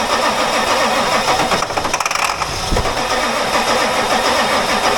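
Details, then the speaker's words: Ford F250 7.3 Powerstroke diesel, batteries charged, ignition on, ether sprayed into intake: starter churns unevenly for several seconds but never fires; crank no start, no signal from key suspected; later fixed with starters, solenoid and IDM. "Well, that looks like noise for today, doesn't it? Still don't want to start. Bloody marvellous."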